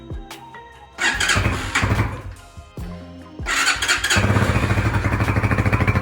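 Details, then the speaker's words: New BD 250 / Hawk 250 EFI six-speed dual sport motorcycle on its first start after fueling, fuel pump heard priming: cranks and fires, revs briefly, then dies; catches again and runs unevenly, stalling after starting. "I hear the a fuel pump. I'm a little worried about this gas cap. And fired up and then died."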